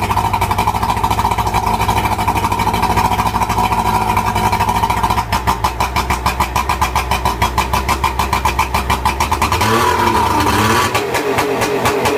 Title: Johnson 70 HP runs rough at 2000rpm +